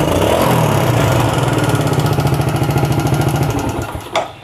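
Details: Yamaha Vega ZR after repair of a jumped cam chain that caused weak compression and no start: steady, even thumping at constant idle without ticking or clatter, then a short blip before fading. Normal running.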